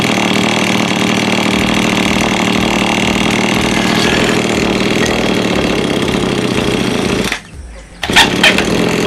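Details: Lawn mower small engine that is hard to start: buzzes with an uneven, wavering beat that hunts rather than holds steady, then cuts out; running rough.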